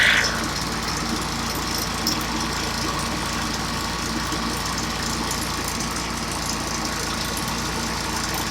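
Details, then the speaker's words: Stihl backpack blower that wouldn't start, two weeks after last use, and finally started after about 15 pulls: a loud, even, high two-stroke buzz with no surging or missing. It is now running normally. "now when it starts right up you want to let it idle for a second and then run it wide open for five minutes so now i'm going to show you it's going to be loud but it starts up now like a charm"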